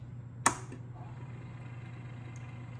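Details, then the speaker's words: Early 1980s Emerson VCP700 portable VHS VCR, tape not threaded until play is pressed: one soft click, then a faint steady low hum in fast forward. Very quiet, normal operation. "i can demonstrate fast forward"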